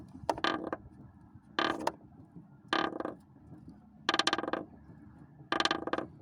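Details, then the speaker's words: Lada Priora front right strut tower: dry crackling creaks about every 1.5 seconds as the body is rocked, the cracked tower flexing; source of the grinding, welded afterwards, no longer creaks. "Вот откуда у меня идет скрежет."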